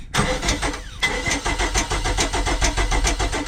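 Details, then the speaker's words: 1995 Mercruiser 4.3L Vortec, Thunderbolt IV ignition, Alpha 1 Gen 2, unrun about six months, started by jumping the starter slave with fuel from a can: steady starter compression beats about three a second, brief stop and restart, never fires; long cranking, no start. "gonna take a minute to get the gas going I'm seeing it coming up through the tube there"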